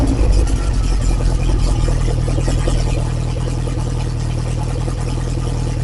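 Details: Lotus Esprit engine after refresh, Bosch injection still being tuned, started cold (only reached about 30–40°C): loud deep even fast idle, no knocks or misses, raw open exhaust; normal cold fast idle.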